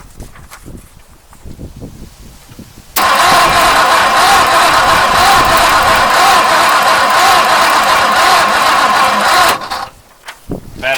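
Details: 1959 Mercury Monterey, asleep for a decade, parking lever held up to bypass a suspected misaligned neutral safety switch: starter grinds about three beats a second for six seconds without firing. Battery too weak to crank briskly.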